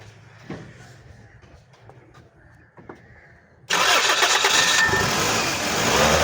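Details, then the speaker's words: Toyota Corolla with newly fitted gas kit, after reconnecting sensor connectors including the cam sensor: quiet cranking, catches on first crank, settles into steady run with light rev; normal start and run. "पहले self प जो है ना गाड़ी start हुई है थोड़ा accelerate भी करें गाड़ी"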